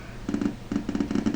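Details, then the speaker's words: Sega Saturn through an HDMI adapter, with an Action Replay and a Japanese Last Bronx disc: bursts of dull, rapid popping in the audio between short quiet gaps, coming through the HDMI adapter. Audio popping. "you can hear that popping noise you know that is coming from that popping noise right there that is coming through the um hdmi"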